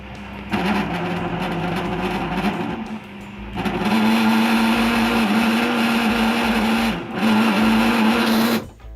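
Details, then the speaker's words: Washing machine drain pump that is simply noisy by itself: loud, wavering buzz running in surges with harsh rushing and gurgling. "donc outre le corps étranger la pompe de vidange peut être tout simplement bruyante d'elle-même et donc on va vous mettre pareil une vidéo qui vous explique le bruit que ça peut faire quand une pompe de vidange utilisée et fait du bruit"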